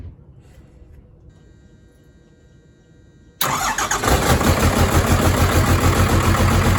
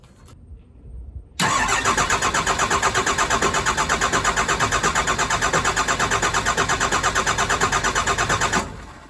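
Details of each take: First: Truck with a new pump, after cracking and bleeding all three injector lines to clear air: the starter catches and the diesel settles into an even, steady idle with no misses. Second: Cummins diesel truck just fitted with a new pump: the starter churns steadily for about seven seconds and never catches. Air is in the fuel system, to be bled by cracking the injectors.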